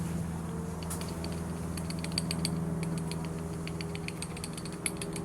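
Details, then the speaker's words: Gimbal bearing removed from a 1987 Bayliner Cobra 2250 with an OMC 5.7 V8, spun by hand: uneven dry clicking and rattling over a low hum. A worn, knocking gimbal bearing. "yeah you guys can hear that that's a bad knock on my bearing"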